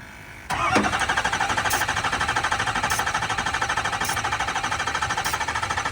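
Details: Ford 6.0 Powerstroke F350 diesel, stranded on the road, retried after sitting about an hour and a half, ether considered: starter cranks at a steady even rhythm, about three beats a second, but engine never catches; crank no-start, cause not yet known.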